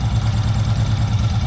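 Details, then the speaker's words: Long-stored Honda PC800 Pacific Coast twin, after carburetor cleaning, plugs unchecked: low, even idle with a steady beat and no knocks, misses or rattles; runs smooth but wants to choke out a little. "Alright guys, as you can hear, it is running pretty smooth. So wants to choke out a little bit."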